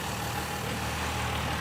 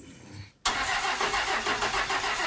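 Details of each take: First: Roadkill Ramp Truck hot rod diesel, revived after 3 years, idling at 400 rpm with 80 lb oil pressure, 13 and 12 volts with the alternator working, half a tank of fuel. Slow, even low rumble with no knocks or misses; healthy idle. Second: Roadkill Ramp Truck diesel, sat 3 years, injectors bled and fuel believed at the delivery valves. About four seconds of steady, fairly slow cranking that never catches because the fuel shutoff solenoid is not lifting.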